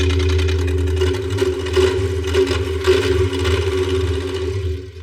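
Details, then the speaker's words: 1973 Buick Electra 225, 455 cubic inch V8, first start after sitting for decades: lumpy, uneven loping idle with no steady rhythm; misfiring badly, running on only about 4 cylinders. "It's alive! Well, 62% of it. That sounds really terrible, and it's running on 4."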